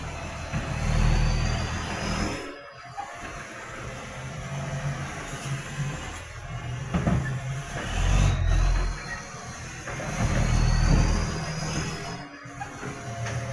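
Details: Tweed garbage truck 3218 with a massive exhaust leak: a deep diesel rumble that swells with each rev, with a loud, rough puffing edge.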